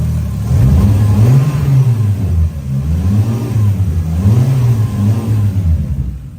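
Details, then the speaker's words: Toyota 2JZ-GTE VVTi after fitting a throttle delete conversion kit for mechanical cable throttle, idle set to 650–700 rpm and left to idle 5 minutes: blipped revs rise smoothly and drop straight back to a steady idle; healthy throttle response. "and it goes straight back to where it should be. So, I'm happy with that."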